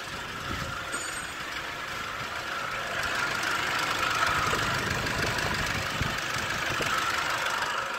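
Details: 2012 Toyota Hilux 2.5L (2,494 cc) diesel, manual 4x4 double cab, idling after starting: steady clatter of about three beats a second with no misses. Filmed while showing a common cause of the truck not starting.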